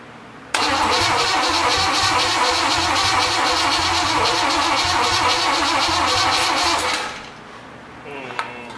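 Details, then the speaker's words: Traded big-block Chevy 454 engine, just primed for oil pressure, cranks steadily about six seconds but never fires; no-start because the distributor was installed 180 degrees out. "you ever heard the term 180 out or newbie mistake that's what that is double checked number one and there we are we're going to have to switch that around a little bit"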